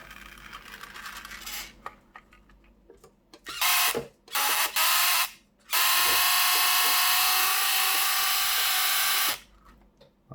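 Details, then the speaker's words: Vintage 1984 Tamiya Mitsubishi Pajero RC car on its first drive after repairs: the small electric motor whirs in high bursts with an uneven rattle and no drive. The gears are spinning inside the gearbox without meshing with each other. "so obviously the are just spinning inside it"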